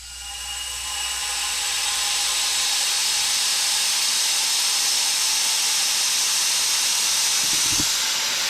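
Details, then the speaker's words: Intake being pressure stress-tested with compressed air, throttle blade wedged open: a steady loud hiss builds and holds. The leak is suspected at the fuel pressure regulator; the system reaches about 25 psi and holds. "Sounds like it's leaking on the fuel pressure regulator whenever you're really hitting it. So, I hear it leaking over here."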